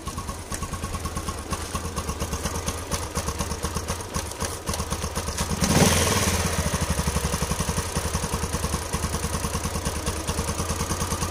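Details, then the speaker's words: Yamaha LC135 single after timing chain replacement, coolant and oil refilled: even thump at idle, steady through a brief throttle blip, no rattle; earlier rough noise from a slack timing chain is gone. "Ah nih kondisi jin dan kamu sudah dengar tadi suara gini aja mana selepas kita tukar Tencent bunyi kasar ta itu sudah hilang penyebab rantai sudah kendur"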